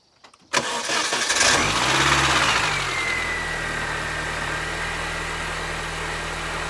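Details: R53 Mini Cooper S after replacing spun rod bearings and rod bolts: starts cleanly, revs briefly, settles into smooth even idle with steady supercharger whine and no rod knock.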